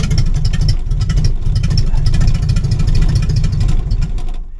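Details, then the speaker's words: 1966 Ford Mustang, newly installed starter, first crank with a replacement battery: even, rhythmic chugging with regular compression pulses as the engine turns over without firing; normal cranking. "That That's good news. That sounded really good."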